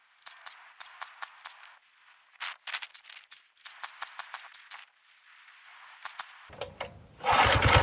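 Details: Vintage Giant Vac 2425 log splitter with original 5 hp Briggs & Stratton, cold start at 0°F/-18°C: several rattly cord pulls, then it catches and settles into a rough run, starting slow and speeding up; normal cold start.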